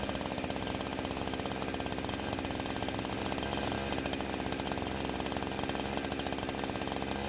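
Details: Husqvarna chainsaw that wouldn't start, now fitted with an aftermarket carb, on 89-octane ethanol-free gas with synthetic two-stroke oil at 50:1; crisp, rapid, even buzz holding steady under the cut; runs very well and cuts okay.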